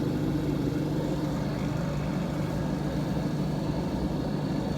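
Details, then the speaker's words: Vacuum pump evacuating a Mitsubishi inverter system after rusted compressor replacement, system open a while so moisture suspected, valves cracked halfway: steady even low hum and chug, no knocking, rattling or surging; running normally. "And I'll do that, you know, pretty often. Chugging along nicely."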